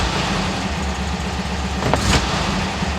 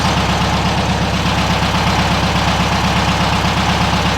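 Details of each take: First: 1967 VW Westfalia Bus after swapping the 009 for a correct vacuum advance distributor: steady idle rumble, and quick throttle stabs now rev cleanly and smoothly with no bog or power loss. Normal throttle response. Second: 1967 VW Westfalia Bus, engine warmed up and idling fairly well, 009 distributor fitted: quick throttle stabs flutter and bog briefly off idle before revs rise, the flat or dead spot; feathering the throttle slowly runs smoother. Throttle hesitation.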